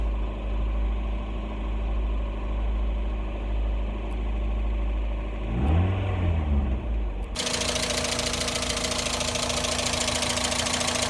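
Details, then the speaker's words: Mazda Miata, first start after a new thermostat, fuel pump, fresh fuel, new radiator and coolant: catches after a brief stumble, then settles into a steady, even idle with a smooth low hum and no knocks. "awesome so we did it guys the Miata is alive she's back"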